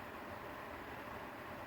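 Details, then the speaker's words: RV furnace set to 70°F on a 58°F day after a 12-volt fuse panel upgrade, batteries at about half: steady, even rush of blower air, no knocks, rattles or squeal; piezo igniter then lights it and the furnace runs fine. "So the furnace works. That's good. It'll kick on here in a second and light up."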